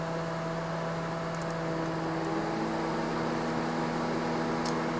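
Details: 2009 Honda Civic (8th generation), key on, engine off, relays pulled one by one: smooth constant whir with a steady hum underneath, no rattle or scraping; radiator and condenser cooling fans running normally.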